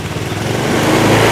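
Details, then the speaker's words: Honda Scoopy scooter that stumbles when the throttle is snapped: even after the TPS sensor was reset and swapped for a known-good one, the quick throttle blip sputters instead of climbing. The uneven firing is suspected to come from a bad spark plug cap or plug. "ini cuman masih susah tuh masih berebek kayak gini dan untuk yang terakhir kita pengecekan ke busi aja coba busi"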